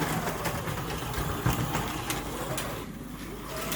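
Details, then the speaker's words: Slot car on Artin digital plastic track, big curve only, braces removed: uneven sharp clunks three or four a second as the car hops through the curve, worse in one lane; cause unknown. "it gets worse depending what Lane it's in you can hear that clunk clunk clunk clunk clunk I don't know what it is"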